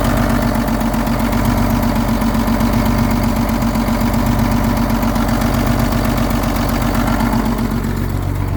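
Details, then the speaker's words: Old diesel truck sitting about 3 years, cold weather, fitted with muffler, just started on new batteries: deep steady rumble, even firing pulses, no knocks or misses; healthy smooth idle. "I did end up putting a muffler on this truck because when you're going down the highway, you can hear it from like 10 kilometers away."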